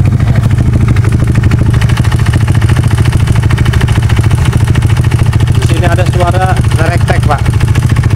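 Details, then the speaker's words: Honda Beat FI scooter that suddenly cuts out, exhaust refitted, still on old oil: fast uneven metallic rattle over a steady idle, about four beats a second; source unknown, mechanic suspects the engine from running dry of oil. "nerektek ini entah dari mana. Kemungkinan dari mesin karena motor ini kering oli."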